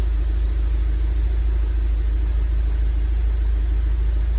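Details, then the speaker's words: 2002 Rover 75 / MG ZT bought with a reportedly bad engine, running after sitting a long while and slightly smoky: deep exhaust rumble with a pulsing, uneven beat, clearly misfiring; owner suspects the catalytic converter or oxygen sensor, cause unconfirmed. "so I don't know if you can hear it but it is missing in quite clearly"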